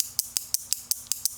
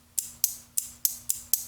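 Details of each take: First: Relay with a diode across its coil: eight crisp, dry clicks about every 0.18 s on a quiet background, sounding no different from the relay without the diode; normal switching. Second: Relay driven by a transistor from a low-voltage button-cell supply, with no flyback diode across its coil: sharp, crisp clicks about every half second as it pulls in and drops out; still switching fine.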